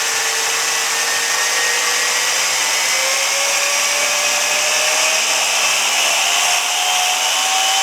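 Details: Rastar 1/14 Porsche 911 GT2 RS RC car on the lift, breaking in a new gearbox gear: high whine climbs as the motor winds up under a gritty rasp; gear teeth bent, gearbox sidewall damaged.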